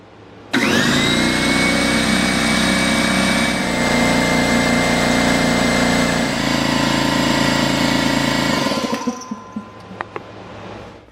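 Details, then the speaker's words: DeWalt D55168 15-gallon air compressor, about 10 years old, running after a regulator rebuild with repair kit N008792: motor spins up to a steady, even drone with a clean whine, then shuts off; leak fixed, but regulated pressure then stuck at maximum. "the new parts did fix the leaking issue however the regulated pressure was at maximum even if i adjust this there was no change"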